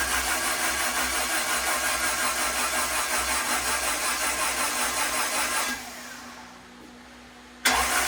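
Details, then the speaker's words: Turbo Honda Integra, first start of 2024, spark plugs out, cranked about 5 seconds to prime the new turbo and check feed/drain oil leaks: even starter churn at about three beats a second, no firing; healthy cranking on a weak battery. "I'm going to crank it over for about 5 seconds. Check for oil leaks, and once I do that, I'm going to just go ahead and continue to crank it."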